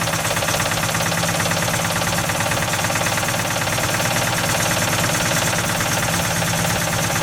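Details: 1955 Ford F250 that sat 30 years with a locked-up engine, first runs after fuel and spark work, weak spark, old fuel still in system: engine lopes unevenly with a faint irregular knock about three per second over rattly background; rough running.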